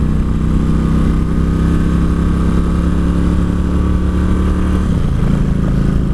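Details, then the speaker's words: 2003 Kawasaki Vulcan 1600 V-twin on a test ride after 2.5 gallons of fuel added: steady drone, then the firing note drops and stumbles as the engine cuts out while riding; rider suspects spark plugs, unconfirmed. "That's not good. It's too big to be cutting out on me. Maybe we should check spark plugs."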